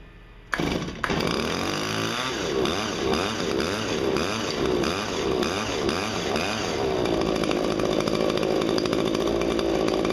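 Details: Hedge trimmer, just after blade sharpening and gearbox regreasing: fires right up, revs rise and fall through throttle blips, then holds a clean steady high buzz; running healthy.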